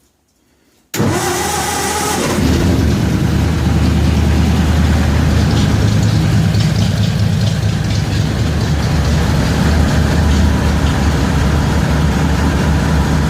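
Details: 1936 Ford 1½-ton truck with rebuilt 8BA Flathead V8 from a street sweeper and new dual exhaust, choked, in neutral, cold start: brief cranking, then it catches at once and settles into a steady, even, deep idle with no misses.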